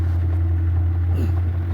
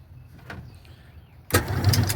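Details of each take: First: Classic Kenmore washer that would not wash or spin because of a broken motor-to-transmission coupler, heard after the repair with the agitator reinstalled. A deep, steady motor hum with no knocking or grinding. Normal spin. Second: Classic Kenmore washer on spin, not washing or spinning: motor hums briefly with rapid clacking about three times a second as the transmission doesn't turn; broken motor coupler.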